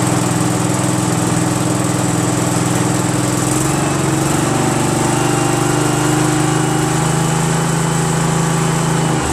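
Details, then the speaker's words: Craftsman GT6000 garden tractor repowered with a Briggs & Stratton Vanguard 16HP horizontal-shaft twin, run after swap with the tractor's throttle cable and breather piece fitted; steady, even low drone at one speed, no misses, knocks or rattles, healthy. "how about that guys man that sounds great doesn't it I'm stoked fantastic"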